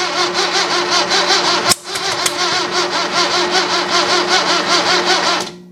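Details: 1966 Datsun 520 truck abandoned 40 years, cranked choked with extra fuel: the starter churns at about two and a half beats per second with a brief stumble of firing on a couple of cylinders, but it never catches; fuel is leaking.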